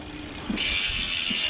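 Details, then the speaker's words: Dolan L'Etape SL Disc road bike rear wheel coasting: loud, fast, even freehub buzz, healthy ratchet clicking crisply, though the wheel bearings are said to be rough and not smooth. "i'll show you through the hub while i'm here it sounds mint"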